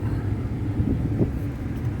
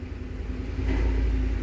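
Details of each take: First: 2010 Ford F-150 blower motor, previously with a horrible vibration: now a steady low fan rumble at full speed, no wobble or rattle; vibration fixed. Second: 2010 Ford F-150, AC on, blower motor at maximum: deep steady rumble swelling with fan speed, vibrating the whole vehicle; debris, possibly a rodent, suspected in the blower cage unbalancing the wheel.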